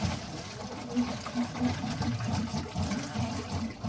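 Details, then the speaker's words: Bus conversion plumbing test, water valve turned on for the first time, drain pulled. Low rushing, gurgling hiss as the lines fill and build pressure, no spraying or dripping, no leaks seen: plumbing lines filling and pressurizing. "and that is the sound of water pressurizing"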